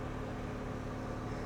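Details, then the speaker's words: Lexus LS430, 120,000 miles, idling at 1,000 rpm: steady, even low hum with no knocks, ticks or misses; smooth, healthy normal idle. "Look at that. Engine sounds good."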